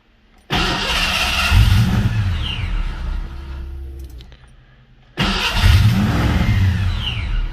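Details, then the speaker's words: Supercharged Fox-body Mustang, first start: two rough start attempts that stumble and lope with popping out the intake, wants to die; timing first suspected, then a cold, non-firing cylinder from a dislodged injector found. "Then if I keep it running, it wants to die. You can hear it popping. Kind of popping out the intake, so I think it's timing."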